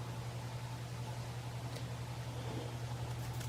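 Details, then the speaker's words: Antique Century ceiling fan without blades, heavy rotor coasting down after switch-off: quiet, steady low hum that slowly spins down with no rubbing or ticking; healthy. "It should take a decent amount of time to come to a stop even without the blades on it because of how heavy this rotor is."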